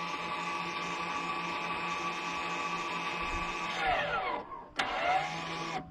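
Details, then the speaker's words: VW Passat B7 2.0 TDI, rear electric parking brake calipers operated from a diagnostic scanner: two motors whir steadily, pitch drops as each stops, then a short second run as the calipers close; operating normally. "twórz tylne zaciski i słyszymy jak silniczek pracuje, znaczy dwa silniczki i czekamy na zakończenie sesji."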